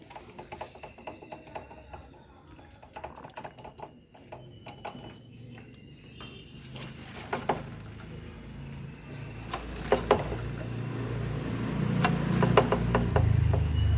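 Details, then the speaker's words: Bajaj Pulsar 150 front disc brake caliper: light irregular metallic clicks and rattles over motor hum, heard while riding and braking; caliper was cleaned earlier but not repacked with grease, to be dismantled and greased. "அப்புறம் கொஞ்சம் நேரம் கழிச்சு analyse பண்ணுறப்ப தான் தெரிஞ்சு இதில் தான் sound வந்துட்டுருக்கு அப்படின்ட்டு."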